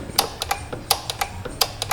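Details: 2015 Kia Sorento that cranks but intermittently won't start: sharp relay clicks in quick clusters about every 0.7 seconds as a fuse in the fuse box is pressed. A bad solder joint is breaking the circuit.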